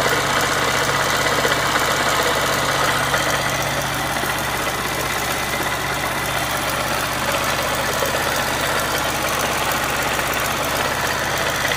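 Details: Yamaha XTZ 125X at 47,000 km, oil changed every 1,000 km and preventive maintenance up to date, idles steadily with a busy mechanical clatter on the exhaust beat; unusual engine noise, source not identified.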